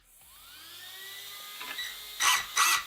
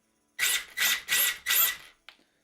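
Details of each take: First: Cat L1 Evo RC buggy after tightening a too-loose slipper nut, slipper warmed by repeated punches; motor whine climbs smoothly, then six sharp even full-throttle bursts with no slipping howl, front just on the edge of lifting; correctly set slipper clutch. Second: 2WD/4WD RC racing buggy, slipper clutch deliberately set wrong after being warmed by a few punches: short high whirring bursts with smeared drive that never bites, slipper warm; slipper clutch slipping because set too loose.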